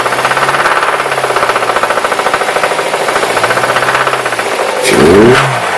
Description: It makes the same knocking sound from a cold start, then mellows out and does it when i apply throttle.